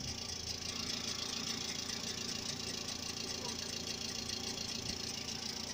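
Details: Mitsubishi Outlander III, a few minutes after engine start and lasting several minutes: light quick flapping tick, about two to three per second, over steady idle under the hood, like something rotating brushing a half-peeled paper; source unknown.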